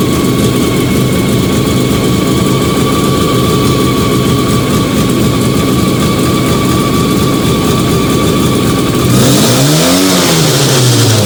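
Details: Fiat 125 (Bialbero) on CNG after fitting a new carburettor gas injector and the original air filter, just started. Steady, even idle, no misses or knocks, then a smooth rev blip that settles cleanly. Normal idle.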